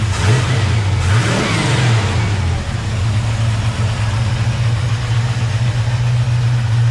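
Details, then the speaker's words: 1970 Chevrolet C10 pickup V8 heard at idle with the hood open: deep, steady, even burble with no ticking or tapping from the valvetrain; healthy idle. "i guess i'll open the hood quick let you listen to the motor at idle so you hear that there's no ticking noise"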